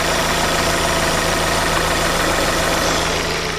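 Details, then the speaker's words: 2010 Chevy Aveo 1.6 Ecotec after replacing the valve cover with integrated PCV to cure a vacuum leak that caused misfires; coolant temp sensor also replaced. Steady, even idle, smooth low hum, no knocks, misses or hiss; running perfectly. Normal idle. "all right on this vehicle running absolutely perfect now this might not be true with yours you might only have the uh bad pcb leak from the valve cover once you replace that you're fine"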